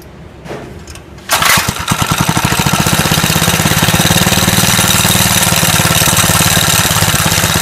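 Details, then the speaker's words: Go-kart small single-cylinder pull-start engine, cold start after valve adjustment; previously it barely started or idled when cold. Now it catches quickly and settles into an even, steady putter, more responsive. Normal cold start and idle. "it's idling much better super cold start it is definitely more responsive up for sure but now it's a lot better"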